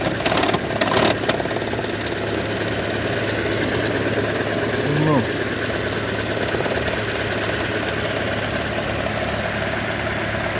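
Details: 2012 Toyota Prius, warm idle while hybrid battery charges: persistent light knocking and rattle starting and stopping with HV charging, absent at cold start, also at low speed; coils, plugs, injectors, PCV, EGR already replaced or cleaned; cause unknown.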